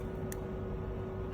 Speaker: on, off, on, off. Dengar eh. Bila off tu dia satu klik aje on klik off satu klik.